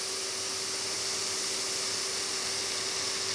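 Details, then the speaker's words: Hard drive with a seized spindle bearing, spun up after heating the bearing with hot air during data recovery: steady low whine under a harsh gritty grinding hiss as it barely spins. It earlier drew enough current to blow a fuse. "and you can hear now it's grinding a bit but it is spinning"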